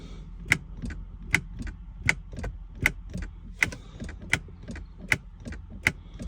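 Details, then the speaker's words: 1995 Jaguar XJR (X300) that won't start, immobilised: crisp clicks from the gear selector surround with each brake pedal press, sharp tick and fainter release; shift-lock solenoid working normally. "That is me putting my foot in the brake and the click is coming from the gear surround."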